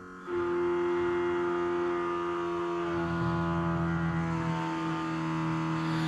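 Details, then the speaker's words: 1955 Chevy project with a small-block V8, sitting 10–12 years, before first start: Holley blue electric fuel pump switched on via its relay trigger wire, running with a smooth, steady low buzzing drone and no clatter; normal pump operation. "This white wire is the trigger for the relay, so if I add 12 volts to that, we should hear the fuel pump start clackety-clack. Now, this is a Holley blue pump. I don't know how noisy it is, but I'm assuming we're gonna hear something if I got it wired right."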